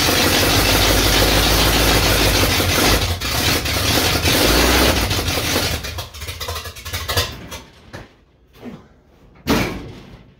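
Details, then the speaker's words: Old supercharged truck after carburetor cleaning and modification, timing set, choke held open: several seconds of even cranking at about 3.5 beats a second, then knocks and clatter; hard starting, cause unknown. "I don't know. Ain't got a clue why it won't start."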